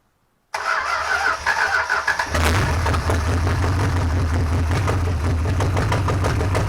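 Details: Junkyard 383 V8, first start after 30+ years sitting, with a new distributor and gas squirted in: cranks, catches in about two seconds, and settles into a lumpy, loud steady idle with no knocks.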